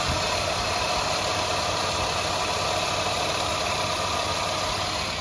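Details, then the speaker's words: 2003 Mazda Tribute V6 with the AC left disconnected, during a bearing/pulley noise repair: steady quiet idle with only a light even valve-train tick, no bearing whine or knock; normal idle. "Wow, it's nice and quiet. I don't know if you can tell. All I hear is valve train."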